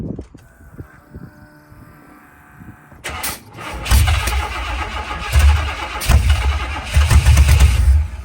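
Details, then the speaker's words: Monte Carlo SS G-body, after gas was added to the tank while listening for the fuel pump, cranks long, then chugs unevenly, stumbling and surging without settling; a hard start, with flooding or a fuel pump or carb fault suspected, not confirmed. "like i'm flooding that bit probably the filter got gas in it"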